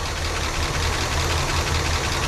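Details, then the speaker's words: 1967 Cadillac DeVille convertible V8, first start after years sitting: rough lumpy idle with one cylinder dropping out; number seven dead per temperature despite good spark; lifters noisy. "some misfiring lifters are a little noisy but we give them some time to pump up definitely not running the back definitely not running number seven based on the"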